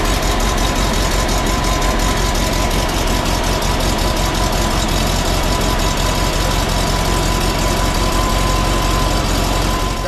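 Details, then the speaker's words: 1952 Volkswagen Beetle split window standard, air-cooled flat-four, running after 40 years sitting once the fuel system was redone and the carburetor cleaned: low, steady idle with an even, slightly clattery beat; runs smoothly, normal idle. "she's a runner she's a runner that's correct 40 years minimal work redid the fuel system cleaned the carburetor basically basic stop"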